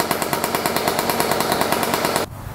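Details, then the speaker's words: 1994 Honda CR125 two-stroke after the coolant-leaking cylinder/head was properly repaired and premix added: first start, rapid ringing pops, then throttle-off drop, running well. Lots of old oil in the crankcase is burning off. "burning off all that old oil lots of oil probably in the crank case yet see it's burning off all doing good though that's a good sign"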